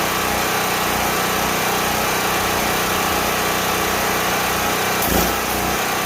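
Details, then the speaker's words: Worn auction generator, old turpentine-smelling gas, started on choke as it came off the truck: steady, even small-engine buzz, no misses or surging; runs fine but too weak to run a welder. "well there we go it runs it'll run some smaller power tools but it definitely doesn't have the crank to be able to go and run the welder on these"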